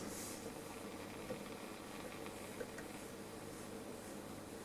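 Steady, even hiss with a faint low hum underneath and no station or voice breaking through: the set is dead on reception. Cause suspected, not confirmed.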